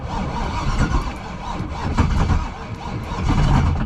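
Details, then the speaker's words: Turbocharged V8 jet ski struggling to start, with smoke, steam and a lot of water inside: heavy, uneven lumping turnover with no clean catch; suspected to be firing on only one bank. "I don't know what the smoke and steam is all about, but it sounds like it might be only firing on one bank or something. Yeah. Just by the way that it's lumping over, like it seems to turn like a half a revolution and not do anything, and then whoop."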